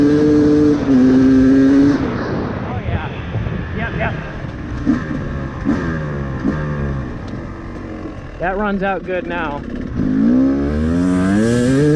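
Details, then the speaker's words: 2024 Beta 250RR Racing 2-stroke enduro with a 38 mm Lectron carb that ran rich, flooded and fouled plugs, after metering rod and power jet adjustment: revs climb and fall sharply, pulling cleanly to full throttle without bogging. "Oh yeah. Yep. Yep. That runs out good. Now, all right. Now that we know that it can run good as is,"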